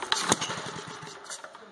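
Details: Villiers Mk10 engine on a Simplite Mk4 solids pump, first pull-start after 25 years unused. Points cleaned, timing set, fuel tank and float bowl cleaned, temporary fuel line fitted. A few sharp firing pops catch and settle; the engine starts.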